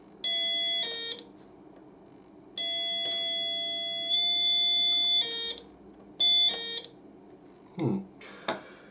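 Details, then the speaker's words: Kit-built 555-timer doorbell at 12 V: a two-tone electronic ding-dong that cuts off abruptly instead of ringing out, with a thin, quiet tone. The discharge is too short and the potentiometer needs adjusting. "Very quick. Let's adjust this potentiometer. It's not very long on the discharge."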